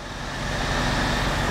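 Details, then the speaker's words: F56 Mini Cooper S being reassembled, first running after a dead battery: steady, even engine hum with traffic-like background and no knocks or misses, running really good. Normal running. "yeah it's running it's running really good actually"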